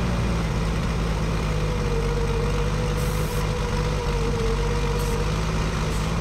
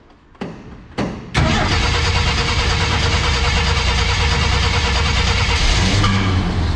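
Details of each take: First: 1965 Ford F100 V8 abandoned for years, at idle: loud, steady low idle with a faint uneven edge; vacuum leak persists at carburetor, with stripped holes, warped base and wrong gasket set. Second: 1965 Ford F100 six-cylinder first start in about a decade, coil hot-wired: two cranks, catches, runs evenly without knocks, ticks or leaks; carb not filling bowl, may need cleaning.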